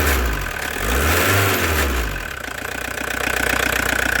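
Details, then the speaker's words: Old Audi diesel for sale: idles with an uneven, lumpy beat and occasional twitches; owner suspects a hose may be leaking and something needs replacing; cause not confirmed. "треба треба буде мабуть міняти потрошки подьоргується можливо яка шланга пропускає"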